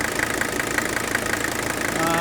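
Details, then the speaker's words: Mercedes W126 300SD diesel, 156,000 miles, at startup: even rattling diesel clatter with no irregular knocks; healthy engine note, though tired motor mounts and fuel leaks at the hoses were found. "okay right away if you get around these visas you can tell this has a healthy note to it"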